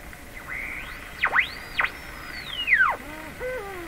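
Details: Canadian Westinghouse Model 684 radio after repair: whistling tones swoop up and down in pitch as the set is tuned, a beat whistle from interfering signals; no IF oscillation seen on SDR, cause unconfirmed.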